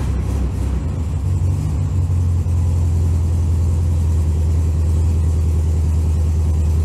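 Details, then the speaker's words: Owner's 1964 VW, cold start at about 15°F: catches after a few uneven beats, then settles into a deep, steady, even idle; normal cold start and idle. "So a couple of cold starts and we'll see what happens."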